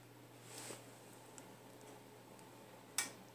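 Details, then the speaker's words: Audioque AQ3500D.1 car audio amplifier, bench power-up test with multimeter reading about 3.09 mA: one crisp relay click as power is applied, green power light on, relay releases when disconnected; normal relay click on power-up, amp works. "hear the clicking sound as a relay I guess and you got the green light so that's power on and you got 3.09 milliamps and you take it off is that clicking sound You released the relay release and then zero so we're good to go it works"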